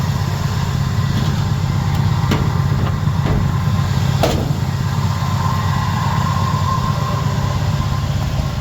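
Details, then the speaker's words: Small block Chevy with big cam after Holley carb swap, warm after running 15–20 minutes, good oil pressure, not overheating; deep steady idle rumble, even rhythm, no misses or knocks; normal warm idle. "to be running fine. It's been running about 15 20 minutes that the gauges are correct. We got good oil pressure. It's not overheating."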